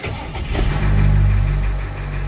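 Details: 1988 International 1654 wrecker with 7.3 IDI diesel, after installing a Facet electronic lift pump to cure air intrusion that made it die after starting: cranks briefly after glow plugs, catches within a second and settles into a steady, even idle.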